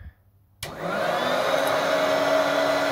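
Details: Hoover Turbopower Freedom vacuum cleaner, switched on at the low setting: the motor spins up cleanly within a second and settles to a steady, even whine with no rattles or scraping, blowing out dust on start-up; it is running normally.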